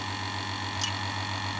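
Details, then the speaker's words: A/C vacuum pump running to evacuate the R134a system of a 2008 Citroën C5 X7, first emptying the hose: smooth, steady drone with constant low buzz, no knocking or rattle; pump running cleanly. "Je mets la pompe en marche, donc ça va être un petit peu bruyant."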